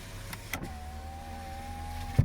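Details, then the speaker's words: 2009 Chevrolet Impala, engine running: the driver's power window motor hums smoothly for about two seconds and ends in a soft thump at the stop. Normal window operation. "runs great all the windows work the drinker window goes down"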